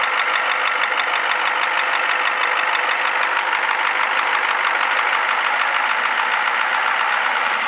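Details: 1994 Ford F-350 7.3 IDI turbo diesel idling with a steady, fairly even knocking clatter of about three beats a second; knock at idle, cause unknown.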